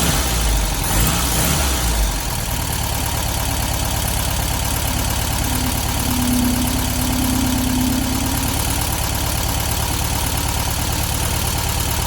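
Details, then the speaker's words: 1972 VW Beetle 1200 air-cooled flat-four idling after valve clearance adjustment and plug change, now running on all four cylinders; light loose ticking over low chug sounds packety, owner suspects valves set too loose and need tightening. "That sounds quite packety to me actually. I think maybe we need to tighten those valves back up a little bit, but it is running on 4 cylinders now, definitely."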